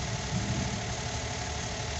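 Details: Suzuki Every wagon (Japan-assembled) with codes P0300/P0302: uneven, shaky idle with a low rumble that stumbles now and then, a dead cylinder from a loose injector plug. Cylinder misfire from loose injector connector.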